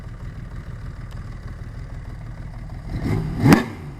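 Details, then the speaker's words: 1980 Honda CBX1000 with 1150cc Wiseco big bore, ported head, '79 cams and carbs, Dynajet stage 3, 6-into-1 exhaust: soft even purr at 500 rpm idle, one clean rev blip; good carb sync, jetting and valve adjustment. "That's at 500 RPM. Can you hear that barely ticking away? That's good carb sync, jetting, and valve adjustment."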